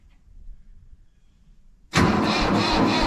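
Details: Mahindra 3525 tractor diesel at 18–19°F, unstarted about 1.5 months, low battery, on a booster pack: near silence, then it fires abruptly and holds a loud steady clatter. Hard cold start.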